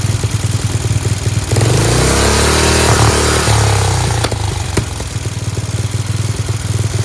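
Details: Free Dayton lawn tractor with an 11 horsepower Briggs engine being revived, started on choke: loud, crisp single-cylinder beat revs up cleanly and drops back to a steady, even idle without stumbling, sounds like a hot rod; normal running.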